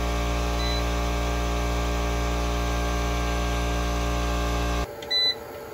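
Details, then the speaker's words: Craftsman 120V 30-gallon 6HP 15A compressor on a 24V 2400W hybrid inverter: a steady electric motor hum that holds under load, then shuts off cleanly when the regulator cuts off at 170 psi. Normal running. "just reached peak pressure went up to 170 psi before the regular regulator cut it off"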